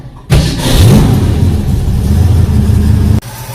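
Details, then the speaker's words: 1966 Ford Mustang at idle after power steering fluid flush: engine settles into steady low idle, pump thump much quieter now fluid has circulated, level slightly high; normal power steering pump operation. "as you can hear the thump is a lot quieter now that the new fluid circulated levels are correct I think the flushing worked well"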